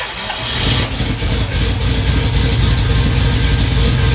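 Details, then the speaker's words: Ford Bronco 429 V8, rebuilt after overspray and backwards-installed pistons, Sniper EFI fitted: engine catches and settles into a strong, even low rumble with a rev blip, no knocking; runs well, though later the oil showed debris. "put the Sniper EFI on it and everything, and it sounds good."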